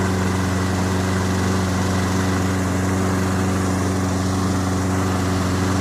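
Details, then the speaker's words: Toro Recycler 22-inch push mower, Briggs & Stratton 190cc, after an AMSOIL Power Foam carburetor cleaning and burn-off: steady, even low drone at constant speed with no misses or hunting; normal running. "Alright, so I'm pretty happy. All the smoke is dissipated. I'm pretty confident we got it all burned off out of there."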